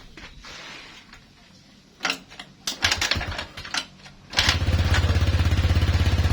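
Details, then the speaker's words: Honda Vario 125 injection whose electric starter fails and horn stays off while the fuel pump hums; fuses and battery check fine: a few kicks, then the engine catches into a quick, even putter, starting fine on the kick-starter. "Nah, tapi jika di selah motor ini akan hidup, Guys. Coba kita selah."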